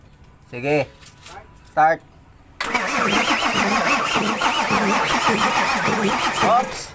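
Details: Isuzu 6HK1 diesel: starter turns the engine at a steady, even beat but it never catches or gains speed, cranking with no start; diagnosis part 1.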